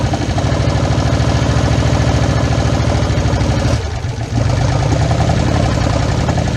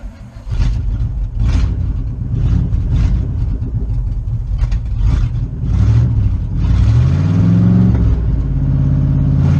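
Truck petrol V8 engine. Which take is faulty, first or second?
first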